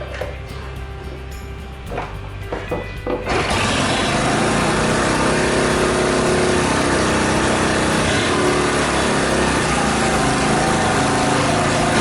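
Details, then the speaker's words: Honda Super Cub, reassembled from parts, started after carburetor cleaning to fix overflow and after earlier cam-chain tensioner work that made strange noises; after a few clicks it settles into an even fast patter, no ticking or chain rattle, healthy idle. "Not really, I don't hear any strange noises here either."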